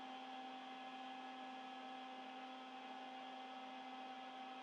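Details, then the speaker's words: 1970s Ampeg SVT bass amp during bias and push-pull balance adjustment: steady low buzz with higher ringing tone, output transformer laminations humming, quietest when balance is set correctly. "also the quietest point when you do this with an amp you can hear the laminations and the output transformer hum and the balance is set properly when it's the quietest"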